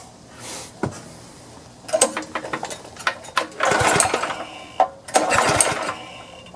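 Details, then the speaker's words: Power washer small engine that won't start with choke on and fuel on; primed with carb cleaner or starting fluid, it gives ragged sputtering bursts that catch briefly and die between cranks; fuel starvation, carburetor to be removed and cleaned. "right now the choke is on the fuel's on and it just won't start that's on and uh we'll see if it'll start if i prime it with some fuel"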